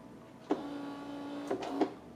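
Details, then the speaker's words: Saeco PicoBaristo SM5478 coffee machine, brew-unit drive reassembled after alternating E03/E04 errors (brew unit sensor/drive gear): on power-up two motor whirs, a one-second run then a short one, each ending in a clean click; drive initialising normally. "Ekspresowi trzeba dać się uruchomić. On sobie ustawi te koła. Mam nadzieję."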